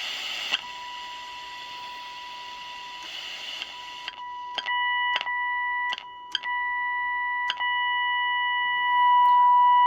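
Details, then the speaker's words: Unitra Eltra Alicja R-701 FM receiver tested with a signal generator across 65.9–73 MHz: clean steady whistle near 1 kHz in bursts between tuning clicks; receiver picks up the test tone, alignment within its parameters. "czyli radyjko powiedzmy mieści się w swoich parametrach jeżeli chodzi o zestrojenie"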